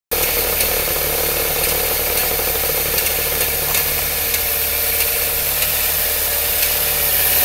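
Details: Saab 9-3 with 122,000 miles: faint light ticks about twice a second over a rough, tractor-like idle. Valvetrain-type engine ticking at idle, cause not pinned down.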